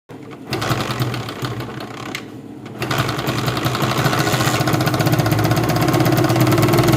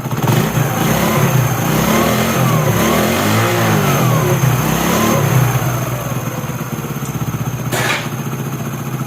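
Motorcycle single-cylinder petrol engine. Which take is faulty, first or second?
first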